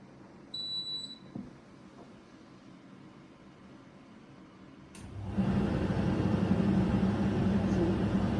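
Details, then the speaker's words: New Hoover H-DRY 300 tumble dryer after repair: start beep, then a smooth steady motor hum with no thumping; a fall had dented the drum where it rides on two rollers, causing thumping, fixed by flattening the dents. "Ми чуємо лише крутить як крутить мотор ми не чуємо Ніякого гуп-губ гуп-гуп нема"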